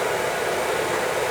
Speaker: new nozzle reset pump pressure and good oil flow you can hear it's not spitting spiderman or nothing no beastman